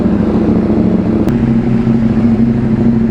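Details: KTM Duke 790, about two years old, just after fitting a new Crank 1 AGM battery (12.4 V) and starting on one touch: steady, even twin-cylinder idle with no stumbling or hunting, engine warm; normal idle.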